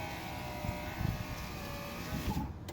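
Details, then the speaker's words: 2010 Acura TSX after window regulator replacement, resetting auto up/down: steady low motor hum for over two seconds, then a soft click as the glass seats; auto-up works. "now do the auto up and then down same thing hold it down you'll hear the click wait for it to go down"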